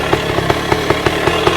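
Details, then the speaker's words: 1966 Bultaco Lobito, a high-compression motorcycle, started after sitting a year: crisp, steady popping at about five beats a second with even spacing; idling cleanly. "That's kind of the Volco style. just gives a little uh it's a little bum bum bum bum bum. It's a very high compression uh motorcycle."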